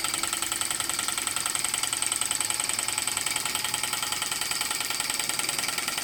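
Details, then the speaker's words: Model steam, Stirling or hit-and-miss engine driving a Baker fan as a working load: steady rapid ticking about three beats a second over high fan rush, pulling the load evenly and impressively. "oh I can hear this in curing and working against that that sounds really impressive"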